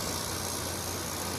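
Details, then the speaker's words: Kenmore PlasmAire low-profile 6000 BTU window air conditioner with an LG compressor, a curb find, running on cool: an even, quiet hum with steady airflow and possibly slight panel rattle. The compressor runs normally. "it's an lg compressor sounds good it's quiet"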